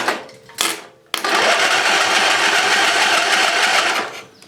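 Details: Briggs and Stratton 20 HP V-Twin Model 40 series engine, sat about 3–4 years, battery charger hooked up before carb clean: steady, even whirring crank for about three seconds with no grinding or hesitation; starter turns the engine over normally.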